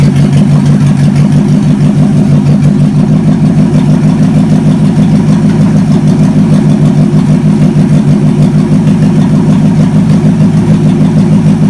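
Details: Chevy 283 V8, sat for a while, run on the shop floor after ignition timing advanced a bit: loud, lumpy but consistent burble at fast idle, about three pulses a second, firing evenly; runs fine.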